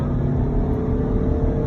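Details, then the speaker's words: Mitsubishi Space Wagon on LPG, after main ECU remap and gas tuning, accelerating on the road: strong, even engine drone pulling cleanly with revs and speed rising together, no misfire, stumble or knock; healthy response. "แต่ถ้าเครื่องมีกำลังเนี่ยเสียงมันจะโอ๊ดแล้วมันเดินนะฮะรอบกับความเร็วจะเดินพร้อมๆกันนะครับ"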